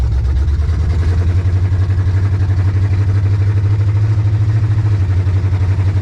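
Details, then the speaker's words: Monte Carlo on a test drive shifting through the gears: lumpy, uneven idle pulse with occasional stumble; slight miss, and owner suspects too much or too little fuel, cause not confirmed. "still got a slight Miss in it so I got to figure that out"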